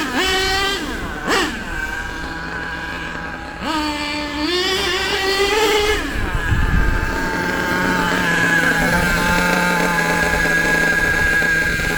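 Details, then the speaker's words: HPI Savage nitro RC truck with LRP ZR32 engine, after the high-speed needle was set and low-speed fine-tuned: sharp rev blips settle into a steady even tick-over. Low-speed and idle judged about right; normal running. "I don't think that needs any more on the low speed. I reckon that's about right. As far as the tick over goes, I'd say that's about right as well."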